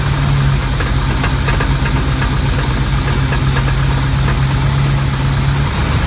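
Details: 340 engine with FiTech fuel injection install: steady low rumbling idle with a faint regular tapping underneath; owner suspects rod knock, cause not confirmed.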